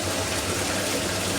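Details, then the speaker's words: Centrifugal pump with suction throttled to probably about 2 kPa absolute and water boiling at 20 °C: steady rushing hiss with a gravelly crackle like pumping marbles from imploding vapour bubbles that can erode the impeller; cavitation. "the waters excellent boiling and you can see all the bubbles of of stain which is cold steam that's 20 degrees thing and you can hear the noise"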